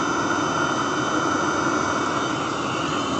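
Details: Webasto Thermo Top Z/C-D diesel water heater bench test heating about 10 litres of water, hot within about 7 minutes: constant roaring burn with a faint steady whistle, no surging or popping; running normally.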